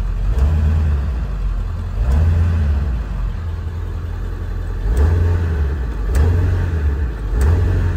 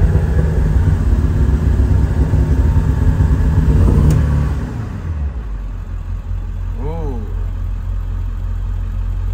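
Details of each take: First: 4x4 Ford E-350 Econoline 7.3 diesel, in for check engine light and lack of power: several quick clean rev blips rise and fall promptly over a low steady rumble; picks up crisply, responsive; normal revving. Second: 4x4 Ford E-350 Econoline 7.3 diesel, lack-of-power complaint: deep, dull, muffled rumble revving lazily with smoke from tailpipe; no power, EBP issue suspected, cause unconfirmed, no check engine light.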